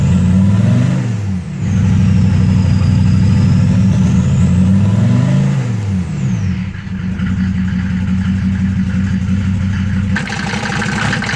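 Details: 1993 Mercedes OM602 diesel at idle: clatter with an uneven, lumpy beat of roughly three or four pulses a second instead of a smooth tick; rough idle.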